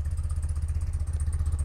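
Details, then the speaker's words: 1982 BMW R100RT just after cold start on choke. Low, even thump with no misses or mechanical clatter: well-sorted, tuned twin idling smoothly, normal. "pretty impressive 1982 you can tell how well this thing is sorted and tuned"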